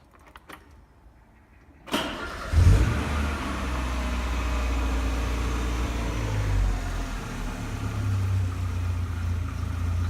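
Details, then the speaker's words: Ford Escort GTI after a new water pump, cambelt and oil change, before new plugs and leads: the engine catches after a crank, then the idle hunts, swelling and sagging every few seconds. Owner suspects the non-genuine idle control valve. "what I'm gonna do there is a plugs points clean the PCV valve and clean the idle control valve"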